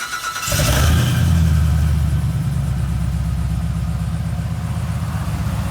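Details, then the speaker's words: 1967 Chevelle that would not start, after fuel pump replacement: catches within a second, revs briefly, then settles into a steady, even low rumble with no misses or knocks; running great. "got it so we replace a fuel pump we got it started now it's running great"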